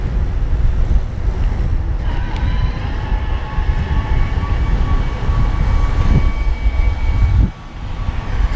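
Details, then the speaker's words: BULLS E-Core Evo AM Di2 27.5+ e-MTB with a Shimano STePs E8000 mid-drive, pedalling fast near 20 mph in higher gears: a thin steady motor whine over heavy wind rumble. Assist fades above about 120 rpm cadence; the whine is normal. "I can still hear it whining but it's really not giving me a whole lot of support above 120"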